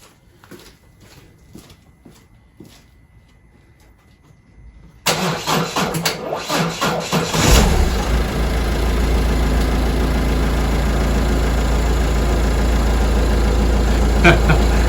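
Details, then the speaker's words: Car whose battery was drained for about an hour with a spotlight and the headlights on: a sluggish, labouring crank over a couple of turns before the engine barely fires; a weak battery that should be renewed before winter. "nearly didn't fire off yeah you could hear it there it took a couple of turns of the starting motor"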